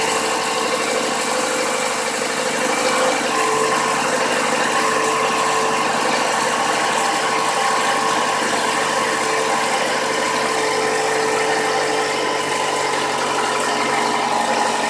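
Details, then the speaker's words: 2015 Toyota Camry petrol engine just after a cold start: light, quick knock at idle that rises with revs; suspected oil-pressure bleed-down at the variable cam timing or tensioner, or cold piston slap; unconfirmed. "That light knock coming through, and then as I rev it up, the knock gets corresponds with that rev. Big issue."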